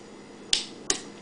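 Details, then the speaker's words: 1992 Honda VFR 750 RC36 starter relay after a hot-wire short to frame, starter motor disconnected: two crisp clicks a third of a second apart and no cranking, showing the relay is switching properly. "you heard the relay click we'll do it again the relay should click listen for the click that means the relay is good"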